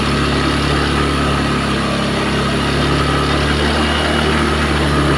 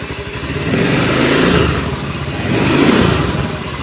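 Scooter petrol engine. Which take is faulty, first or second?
second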